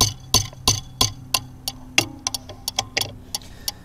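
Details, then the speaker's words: Bobcat/Doosan Delphi common-rail injector on a test kit at 2000 psi: crisp, even solenoid ticks about three a second over a quiet hum, with tiny matching pulses in the back-leak line; the injector is firing properly. "so you should be able to hear this solenoid firing right now so that that looks like a good injector so right now it's working properly"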